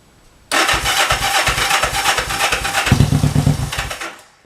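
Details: 1968 Honda CL450 twin after starter clutch repair; before the repair the starter turned without turning the engine. The starter spins briefly and the engine fires within half a second into an even, pulsing run. Normal electric start.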